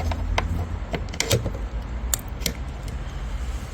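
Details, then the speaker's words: 2.0L turbo petrol car with a flat battery on a mild day, with a jump starter just connected. A few sharp scattered clicks are heard, but the starter won't crank and the engine doesn't turn over. "That thing clicked. Clicking again. You can hear it clicking."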